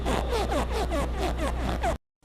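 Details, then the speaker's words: Plastic or rubber friction noise in DHB hydraulic power steering when turning the wheel: quick squeaky chirps about four a second, possibly from pinion seal, dash boot or column trim touching shafts; fix by removing interference. "o ruído de fricção plástica ou de borracha ocorre no movimento do volante ouça"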